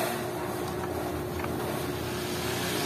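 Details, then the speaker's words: Two-day-old Astron mini desk electric fan, previously vibrating badly and walking on the floor, after blade alignment: steady, even whoosh and low motor hum, no rattling or knocking: normal fan operation. "yon okay na guys kita niyo hindi na siya tumatakbo sa semento Ibig sabihin wala na siyang masyadong vibration wala ng vibration"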